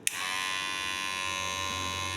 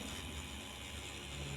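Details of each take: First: Kemei hair clipper, loud for a week: switches on with a click into a harsh, high-pitched buzz, too loud; still noisy after replacing the internal spring, before disassembly and repair. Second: Kemei hair clipper after repair for overly loud noise, motor shimmed on both sides: even, low motor buzz holding steady without rattle or harshness; runs smooth and quiet, no longer loud as before.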